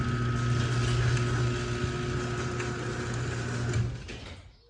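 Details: Garage door opener running after remote programming via the red rear program button: smooth low motor drone running evenly about four seconds then winding down; opener drives the door normally.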